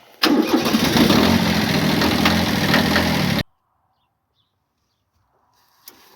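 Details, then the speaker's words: Kubota B7100 diesel tractor on a new cheap group 51R battery, no trickle charger, freezing morning start: starter turns briefly, engine catches almost at once and runs with an even clatter before shutting off; normal cold start. "We'll come out each morning, fire it up without ever using a trickle charger or anything. See if the battery holds up see how it holds up after that first week below freezing."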